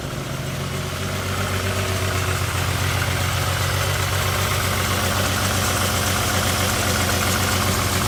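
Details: 2000 VW Jetta MK4 VR6 petrol engine idling rough and uneven, with a lumpy stumble from a bad misfire on one cylinder.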